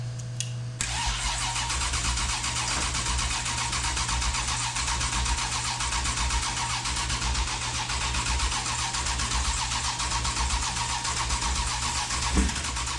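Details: Sandrail buggy engine after motor swap, first start with factory tune: cranks and catches, then settles to a fast, slightly uneven idle with steady exhaust drone; suspected cam out, needs tuning.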